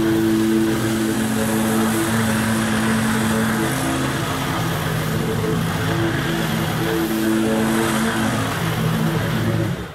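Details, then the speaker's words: Kawasaki V-twin lawn mower engine after replacing both intake manifold gaskets with gasket-making material: steady, even drone holding speed and mowing without bogging; vacuum leak fixed, normal running. "seems to fix the problem mold the grass just like it should"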